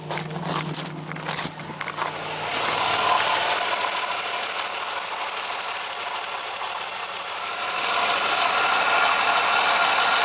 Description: Another video of the ticking noise.... 1997 Firebird 3.8L